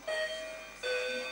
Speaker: It's got like little sensors on it or something. Don't press it, you dick. I reckon it's smoke alarm.